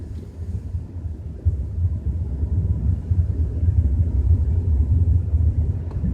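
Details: BMW 320i with a deep, droning low rumble running steadily while driving at 30–40 km/h, nothing sharp above it; source still unknown.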